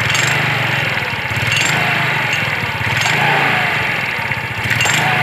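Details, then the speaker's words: Yamaha Mio scooter CVT: quiet when idling, but an uneven clattering rattle from the CVT housing rises with throttle when revved. "Oke, ini kalau diem tidak masalah guys. Lalu pada saat kita gas begini, dia akan bunyi."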